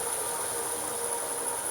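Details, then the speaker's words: Myford Super 7 lathe, running forward at full speed on its current belt position: smooth steady whir with high even whine, no knocks; normal running. "to know she runs nice and steady i can speed her right the way up i'm not going to run it very fast for long so i've got anything in the chuck and that's full speed currently on its current belt position"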